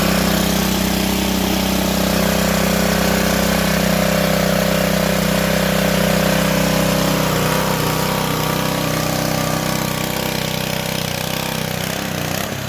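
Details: Ryobi GCV190 pressure washer engine, stored a year and wouldn't start, after cleaning the clogged carburetor: steady, even beat of about two and a half pulses a second with no misses or knocks; runs clean and healthy.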